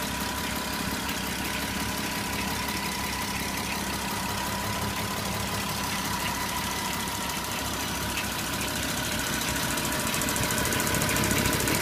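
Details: Porsche Cayenne 957 3.6 V6 FSI at idle: regular ticking knock about three per second over a gritty rasp; timing chain grinding on left side, FSI knocking on right side of engine.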